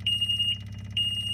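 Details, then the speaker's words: John Deere 997 diesel zero-turn with a fuel delivery problem not cured by a new fuel filter. At key-on, two long high beeps from the alarm sound over a low steady hum: the electric fuel pump vibrating, showing it gets power and is pumping. "one thing you can do to check the fuel pump see if it's even working or operating is to turn this on you'll hear the alarm but you can also hear and feel the fuel pump vibrating which tells you at least it's getting electricity and pumping vibrating up into"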